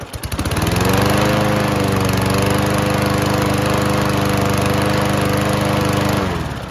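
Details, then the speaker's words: Free Toro Recycler self-propelled mower, Kohler engine with muffler-heat automatic choke, sat a few months on old fuel: after cranking drew fresh fuel into the carburetor bowl, it runs with a steady, even single-cylinder thump, no misses or surging; normal running. "well that was easy sometimes it really just takes that old fuel getting sucked out of the bowl there and some fresh fuel coming into it"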